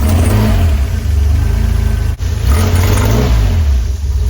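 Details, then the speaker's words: DeLorean DMC-12 with Bosch K-Jetronic fuel injection, pre-warmed to the first temperature line, with worsening starting and hunting: engine revs, then stumbles and sags as the throttle closes, with black smoke from the pipes. Bog on throttle return from a rich condition. "Terrible bog on the return and black smoke showing a rich condition coming out the pipes."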